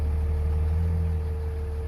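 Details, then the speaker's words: 2003 Dodge Ram 5.9 Cummins common rail, about 320,000 miles, warm, after in-frame bearing and thrust bearing replacement for a bottom-end knock: steady even idle in gear, no knock or clatter; sounds healthy. "so nice smooth idle and even when you put it in gear engine sounds nice and"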